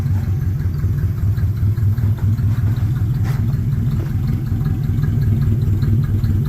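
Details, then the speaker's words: Cold start in snow, old boxy car: low uneven idle that sags and dips before picking back up; stumbling idle, owner suspects it is low on fuel, running on fumes; not confirmed. "looks like we're running out of fuel there too we're just running on"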